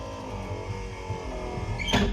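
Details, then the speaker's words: 1964 Chevrolet Impala convertible, stored in a shed since 1995: power window that was completely stuck, revived by spraying lubricant into the rotation areas, now runs with a steady whirring motor hum and a firm thump at the stop; normal operation. "this is the better one actually it was completely stuck and now it sounds like the best one unbelievable"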